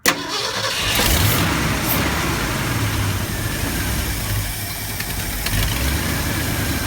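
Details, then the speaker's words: 1972 Ford F250 with 360 V8 after Pertronix Flame Thrower II distributor, new coil, cables and plugs, timing being set: long uneven labouring crank without a clean idle; hard start, cause unconfirmed. "we're looking for how easy it starts what I gave it yeah it just touch the key little more go ahead"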